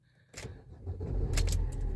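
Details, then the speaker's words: 2015 Fiat Fiorino diesel van after battery disconnect/earth strap fix and four new glow plugs: key click, then the engine catches at once and settles to an even low rumble, with no warning lights; normal clean start. "No lights. Starts perfect. Lovely."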